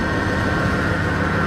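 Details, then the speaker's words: 2003 Dodge Ram 1500 V8 idling, hood open: a steady whine with some clicking over the engine rumble, present for two to three weeks; traced to a worn idler pulley bearing, which was then replaced. "i got a noise sounds like a loose bearing or maybe a bearing being played out"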